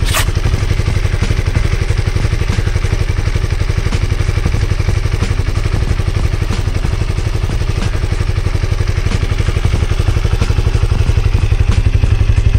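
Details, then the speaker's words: Honda CB150R single-cylinder just after oil change, refilled with 1 litre of 100% cooking oil (Bimoli) after five months on the same; even idle thump about three beats a second, no knock or rattle. Normal idle. "nah itu Mbah suaranya setelah saya Nyalakan setelah ganti oli dan olinya tetap pakai 100% minyak goreng 1 liter bimoli"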